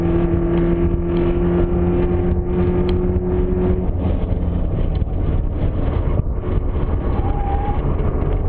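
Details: Car swapped with a 1995 Nissan S14 KA24DE powertrain, while lapping: steady whine in gear over engine and road noise, coming and going intermittently, then fading partway.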